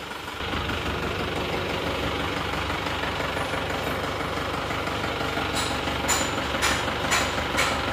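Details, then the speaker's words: Isuzu Panther Touring New diesel, before repair: loud rough idle with tak-tak tok-tok tapping and shaking; one cylinder suspected weak from nozzle, delivery valve or injection pump, oil-cap blow-by smoke; misfire. "Suara mesinnya agak kencang dan suara tak-tak, tok-tok."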